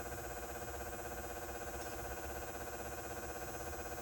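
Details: Rapid even ticking, about four per second, over a constant electrical buzz from a 20+ year old house-mounted light fixture with a Brinks 175W H39 high pressure sodium bulb; buzz always present but now louder, ticking cause undetermined.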